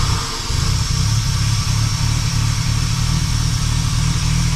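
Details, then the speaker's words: Jaguar Mk2 3.8 manual straight-six, long stored in a shed, just topped up with mixed oil: steady low rumble with even settled beat after starting, no knocks or misses; idling cleanly. "That sounds better, doesn't it?"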